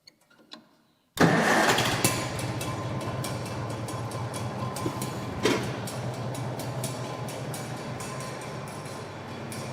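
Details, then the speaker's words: 1949 Farmall M 38 hp tractor started with PTO disengaged, engine only: catches after a second and settles into a steady, even idle with no knock. "I don't hear or see anything out of the ordinary yet"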